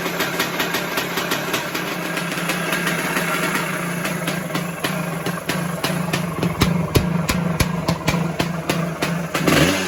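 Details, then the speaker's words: 1978 Yamaha YZ400E two-stroke motocross bike idling with sharp blips: light metallic rattle over the firing that grows with revs, also graunchy when kicked over; owner suspects the top end, maybe needing a piston and small end. "So I'm going to be honest, the engine is a little bit rattly. So you can hear it. You can hear it when you're kicking it over. It's like a little bit of a graunchy noise, and it's a little bit noisy when it's running."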